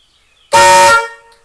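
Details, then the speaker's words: 1972 Camaro barn find: single short horn blast with high and low note horns sounding together after a second horn was wired in via jumper; clean, strong, no rattle; working properly. "Sounds great. So yeah, the car didn't come with two horns. I added two. It sounds much better."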